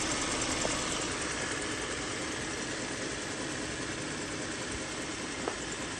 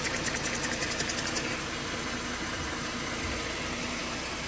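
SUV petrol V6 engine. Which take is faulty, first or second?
first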